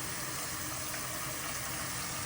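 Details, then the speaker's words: Toilet tank refilling after replacing the fill valve that had been hissing and spraying water: even rush of water with no hiss, noise or spray; normal refill after repair. "And you can see all the water coming down. No problem. No noise. No spraying water."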